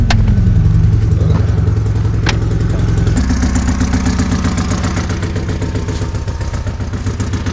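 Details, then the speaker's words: Car just reassembled after a new cylinder head, dial-set adjustable cam gear and Niva camshaft: at idle a sharp, rapid puffing tick, three to four a second. Not the muffler; exhaust is escaping past the manifold gasket. "это явно не глушитель работа прокладкой течет"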